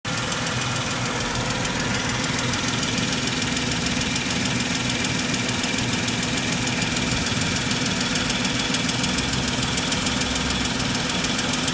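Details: Mercedes W163 ML 350 at idle: fast, even metallic clacking rides over the idle throughout, steady in rhythm; top-end engine ticking, cause unknown.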